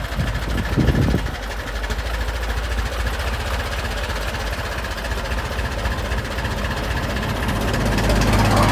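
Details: Restored 1921 American LaFrance fire engine driving down the street: slow, steady old-engine beat building smoothly as it pulls away, no knocks or misses; normal running.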